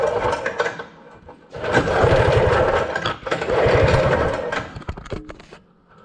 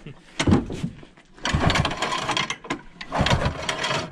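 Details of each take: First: Early-1970s Rupp snowmobile being revived: repeated bursts of pull-over churning with pauses and no firing, despite spark confirmed at both plugs. It cranks but won't start. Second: Early-1970s Rupp snowmobile, being revived, cold engine recoil-started: three hard pulls, each with rhythmic chuffing as the piston pushes against compression; good compression on pull-start.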